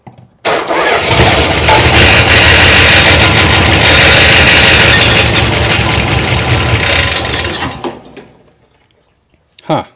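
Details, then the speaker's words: 1962 Chrysler big-block V8 started for the first time in a long time: cranks, catches, then runs loud and ragged with clanging from the top end; owner first thought fan, then suspects no oil pressure. "I heard some clanging and banging up here that must just be the fan"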